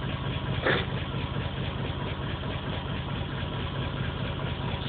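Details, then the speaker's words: Engine idling with a flashing check-engine light and P0300 plus pending P0300 random misfire codes, plugs recently changed after being found black: a low, loping, stumbling idle; random misfire, cause not yet found. "so that's the misfire code so it's both misfires but it's not it's not saying what song it's misfiring at just telling me it has a misfire again light is flashing"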